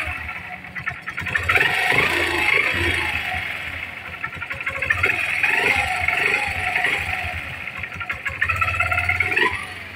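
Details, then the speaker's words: Honda CB125 motorcycle: thin, cat-like whine rides above the engine when pulling away, rising with revs; source not yet pinned down, mechanic plans to replace a part. "Alamin natin kung ano yung ingay na tunog. Bakit humahalinghing kapag umaarangkada na parang pusa."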